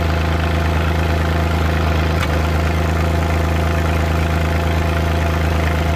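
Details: Suzuki Multicab F6A at idle: uneven, lumpy beat with occasional "Tak...Takatak...Tak" stumbles and taps, random engine misfire.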